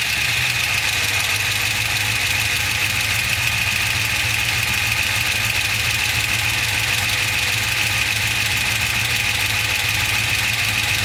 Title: LS2 Ticking noise